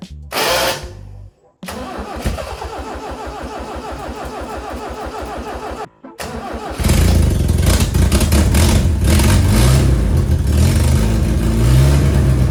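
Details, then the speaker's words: Old Toyota Hilux mini truck, carbureted, long parked, with a known starter issue and earlier carburetor trouble: starter cranks with an uneven, labouring rhythm, cuts out, then catches into a rough run; starter struggling during cranking. "Maybe it's fixed itself, probably not, but let's fire it up, see if we can't figure that one out. It also has a starter issue."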